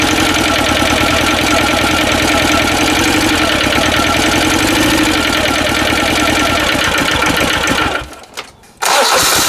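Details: Westwood lawn tractor with a previously hydrolocked Ruggerini twin-cylinder air-cooled vertical-shaft diesel, after a new starter motor: loud, rapid, even clatter around four beats a second, steady with a brief dip; normal start and idle.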